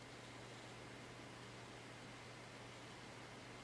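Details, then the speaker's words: Packard Bell iMedia S3720 desktop after a reboot, POSTed and starting Windows: it has gone really quiet, with only a faint steady hum and soft hiss as the rear fan spins very slowly at normal speed. "Wow, it has now gone really quiet. And that fan in the back is spinning very slowly."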